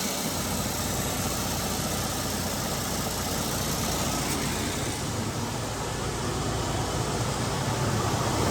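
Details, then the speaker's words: Cummins-engined truck, first start in over 6 months, exhaust heard before the muffler: loud, even diesel clatter and rumble with a steady beat and a raw open hiss. Runs and idles healthy. "So, Bruce, it runs. It does run, and I love the way it sounds before it goes into the Muffler."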